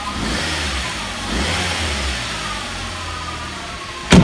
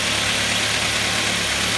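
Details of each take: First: Mk3 Ford Mondeo engine revving with a faint steady whine over it, located by screwdriver-to-ear on the power steering side; not the alternator or the new water pump; air conditioning compressor judged worn, to be replaced. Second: Ford Mondeo Mk3 idling after the noisy air conditioning compressor was replaced and everything reassembled: a steady, even idle with a smooth low hum and no whine left.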